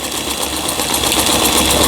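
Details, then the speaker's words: 2003 Janome-made Lion Tulip (639) mechanical sewing machine, after repair of feed regulating cam fault and LED lamp swap: fast, even needle chatter, steady pace, no knocks or rubbing; forward and reverse stitching normal, repair successful. "각종 기능들 정상적으로 수리가 잘 됐습니다."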